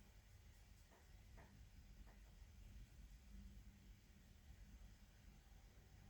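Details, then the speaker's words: Laptop fan suddenly running flat out with a steady heavy hoover-like whoosh, never this loud before, from dust-clogged vents. "Today my laptop started doing this awful noise like it's trying to lift off. It's a bit like um a hoover noise."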